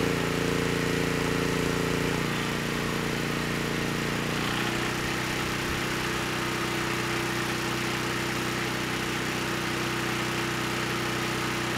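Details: Honeywell HW5500 5500 W generator, 337cc, after Hipa carburetor, replacement tank and insulator swapped (originally surged on choke and stalled): steady drone shifting speed twice, then even smooth pitch without surging or misses; normal running.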